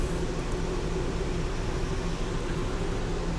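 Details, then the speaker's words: Stryker toy hauler after transfer switch replacement, both rooftop air conditioner compressors running to load-test the new switch; even low droning hum, steady tones, no rattles or cycling: running smoothly under load. "This one's kicking on, the compressors are kicking on. I just want to make sure that the switch is good under load."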